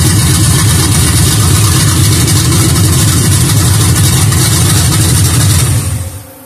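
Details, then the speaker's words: 1959 Ford F100 with a hopped-up 355 Chevy small-block V8: a deep, loud, steady burble with a lumpy beat that holds for several seconds before shutting down, running healthy. "oh at least we got this off you guys got to hear the 59 right run"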